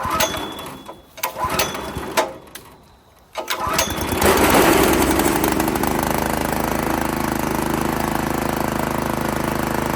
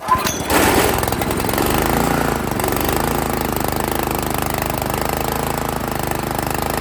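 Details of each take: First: Italian Workman 2 Multimixer cement mixer, Honda GX160, after maintenance, awaiting new carburettor: settles into a smooth, even run with a steady beat, no misses or rattles; running normally. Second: Italian Workman 2 Multimixer cement mixer, Honda GX160, choke on, carb idle screw being adjusted: loud uneven chattering lope that never settles; won't idle, valve clearance found too tight.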